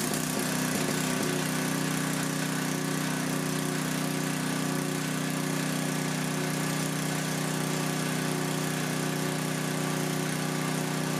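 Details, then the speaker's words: Coleman Powermate 6250 generator, 10 hp Tecumseh engine, after carburetor mixture adjusted a quarter turn out; steady, even drone with constant hum, no surging or misses, running smoothly. "that's it quarter turnout is all"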